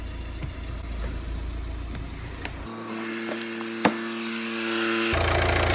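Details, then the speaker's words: 2015 Volvo V40 D2 1.6 diesel (D4162T) after timing belt and water pump replacement: steady, even idle with a smooth low hum and no knocks, rattles or belt squeal, running fine. "But yeah, we'll just go and give it a crank up now, make sure it's running okay."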